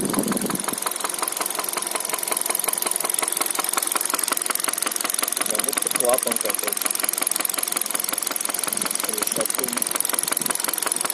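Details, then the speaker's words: 2013 Hyundai Solaris, 140,000 km, at idle: steady light sharp metallic tapping about three knocks a second over a quiet engine. Top-end engine knock; the engine had suffered oil starvation, and the cause is not confirmed. "Было масляное голодание двигателя."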